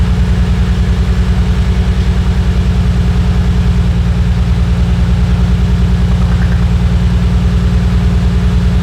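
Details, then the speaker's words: Nissan Skyline R34 at idle: a steady lumpy thump about three times a second over a low drone. The misfire comes from a bad ignition coil on cylinder four from the front, which is being swapped with the front coil for testing. "this is the one it was cylinder number four from the front I'm going go ahead and swap it up for the one in the very very front"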